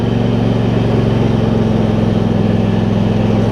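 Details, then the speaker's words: Husqvarna YTH2348 riding mower, now 647 hours after ignition left on for two days: smooth, steady thump at constant speed with no misses or surging after air filter replacement. Normal running. "It's just running good. Running really good after I replaced the air filter and added 47 hours to the clock."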